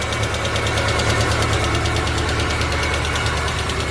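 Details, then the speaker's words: Petrol engine idling with a sharp, even clatter of about three ticks a second from valves left unadjusted after a cylinder head rebuild. Excessive valve clearance, quiet after the clearance was set. "ó acabaram de fazer o cabeçote não regularam essas válvulas pessoal olha"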